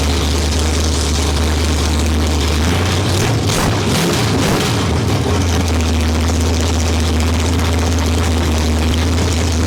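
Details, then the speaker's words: 1972 Ford Maverick with a fresh 317 stroker V8 (forged crank, H-beam rods, Victor Jr heads and intake, Comp hydraulic roller cam 230/230 .598, 4150 750 carb) on its first run, no exhaust yet, carburetor untuned. A deep, even rumble with no knocks or misses. Running normally. "all right she's a runner it sounds really good it's the thing's running really really well"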